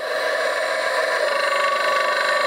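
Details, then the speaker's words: CMG electric motor on a run test at 50 Hz mains frequency, bearings regreased but the back one still noisy and crunchy: steady electrical hum with a fast, even, punchy knock like a rod knock; cause suspected, not confirmed; knocking noise. "hey it's got a rod knock yeah that's what it sounds like it's noises at 50 hertz punchy crunchy guandi well sharp like hot"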